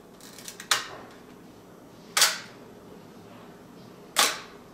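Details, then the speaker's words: Mamiya M645 1000s film camera bought for parts; the shutter fired on battery insertion, then it was cranked manually. Three crisp shutter snaps about two seconds apart, each firing cleanly. Normal shutter operation. "let's see I'm gonna crank it manually hmm did you see that it just fired it"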